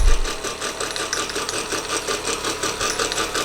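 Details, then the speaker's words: Wilesco D419 kit-built showman's steam engine first run: fast metallic chatter over steady chuff, crunchy tight spot where off-true middle drive gear meshes with small flywheel gear. "then we've got a bit of a crunchy spot you can hear it i think i don't know if you can see the edge of that gear there just seemed to be slightly off true"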